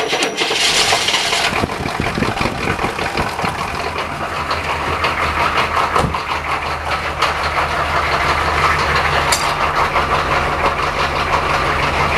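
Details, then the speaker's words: Diesel at about -10°C (14°F) cold start using glow plugs, injection-pump solenoid fast idle: brief cranking catches quickly and settles into a steady, even fast idle with deep diesel clatter; healthy cold start. "Solenoid on the injection pump, the fast idle. Crank it up!"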